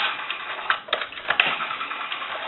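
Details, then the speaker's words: Automatic Electric 3-slot payphone rotary dial being checked before repair: dial returns slowly with uneven, dragging clicks instead of snapping back, as if wanting to hang up; sluggish rotary needing oil, cleaning and adjustment. "we want to go into the rotary you can tell here there's some issues with the rotary and it's kind of sluggish it sounds like it wants to"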